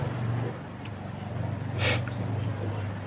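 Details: Mini Maspion fan powered but not spinning: steady low electrical hum with no blade whoosh, stalled motor with stiff blade rotation.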